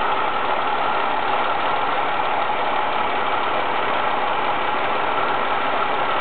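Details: Ford ST220 petrol engine idling smoothly and evenly after the TSB 24/2009 camshaft bearing cap repair; the earlier top-end rattle is gone, with no rattle or tapping.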